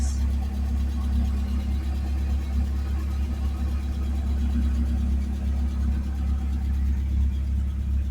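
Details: 1979 Fiat running after fuel-system work: new fuel pump, pump relay and fuel pressure regulator fitted, leak sealed, no leaks underneath. Smooth, steady rumble with an even beat and no misses or knocks: normal running.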